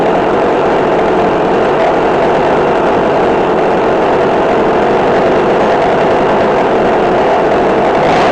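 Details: McCulloch Mac3216 32cc chainsaw with 16-inch bar, after carburetor adjustment (1/4 turn in, idle adjusted). A steady, even buzz with no stumbling or surging and a slight rise at the end; the carb is set right.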